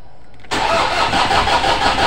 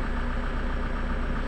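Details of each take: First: Toyota Innova 2KD diesel cranking: steady starter chug, about three beats a second, that never catches; fuel rail pressure stays at 350 kPa against a target near 30,000 kPa. Crank no-start from low rail pressure. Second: Toyota Innova 2KD diesel after repairs and EDU replacement; rail pressure reaches about 29,000 kPa and it now starts easily; steady, even diesel clatter with smooth low rumble, no misses or knocks; normal idle.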